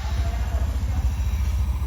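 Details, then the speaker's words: Honda Scoopy scooter that stalled and wouldn't idle, after major service (dirty throttle body cleaned, worn spark plug): steady even low putter idling at 1500 rpm, no misses or surges; normal idle. "Udah langsam ya, Guys, ya. Tuh, RPM-nya udah di 1500 ya, Anjir."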